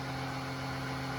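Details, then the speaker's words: Electric oil extractor pump pulling engine oil during an oil change, opened up to let air in: a steady, even electric hum and constant low drone with no surging or rattle. The pump is running normally. "So we're gonna let some air get in there. And then it'll pump, as you can see,"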